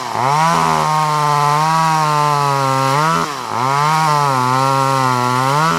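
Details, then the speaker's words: Vintage Poulan 1800 Woodsman chainsaw, sharp chain, original 12-inch bar, cutting wood: crisp two-stroke scream that bogs slightly under each cut and recovers cleanly; normal healthy running. "A very nice vintage saw that starts no issues. We're going to fire it up right now and let you see how this one runs and cuts."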